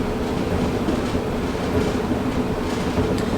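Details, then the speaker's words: Whirlpool dryer after drum roller replacement for a loud knocking: drum turns with a steady low rumble and faint hum, no harsh squeal or grinding, a little better with mild residual rumble. "say that's a little bit better thanks for watching"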